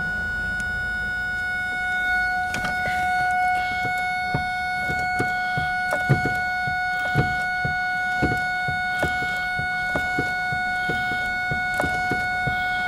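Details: 2001 Ford Focus, key turned, battery charged, fuses and relays checked: steady two-tone chime drones constantly as if key is off, irregular clicks and clunks, engine never fires; electrical no-start fault. Cause suspected, not confirmed.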